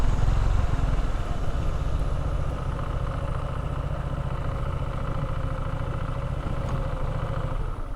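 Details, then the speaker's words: New 2022 Honda ADV150 scooter (US model) idling after a ride near mud; loose, uneven light clatter of about three or four ticks a second over the low burble, variator belt chattering, not considered worrying. "yeah it's the very Ator over here belt something chattering making a little bit of noise I don't think it's anything to be worried about but it's uh interesting"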